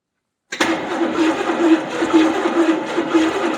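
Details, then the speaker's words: 1970 Buick Skylark Buick 350 V8, fuel poured in, distributor position in doubt (owner suspects 180° out): steady cranking drone with faint uneven pulses, about two a second, nearly fires but won't start. "no that's totally wrong it's like almost"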